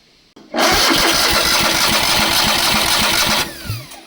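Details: Long-parked crane engine, carbureted, no fuel getting through the fuel pump (runs only when gas dribbled into carb); three seconds of even rapid cranking with steady chug, no catch; suspected fuel delivery failure.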